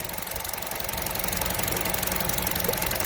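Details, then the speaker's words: Vauxhall A14NET engine running, after head gasket replacement: light fast ticking about four per second that stops when the purge valve is disconnected; strong suction at the valve with engine running shows the evap purge valve is stuck open. "Now, with the engine running, you shouldn't get any suction on this. And I am. I can feel a load of suction there pulling me finger is by the skin of me finger in."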